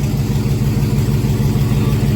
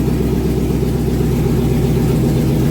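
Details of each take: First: 2001 GMC Sierra 1500 HD V8 idling after injectors were cleaned again and a blown fuse replaced restoring dash lights and gauges: uneven, lumpy pulse with periodic stumbles; misfire at idle still present. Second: 2001 GMC Sierra 1500 HD after injectors removed and cleaned a third time, fuel primed and started: steady deep idle with even unbroken beat, no stumbles; check-engine light not flashing, so no misfire.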